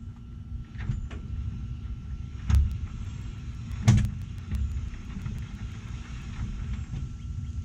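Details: 1969 Chevrolet Chevelle with GM 12-bolt open rear differential; deep rumble from the rear with an occasional heavy clunk as it rolls: bad differential.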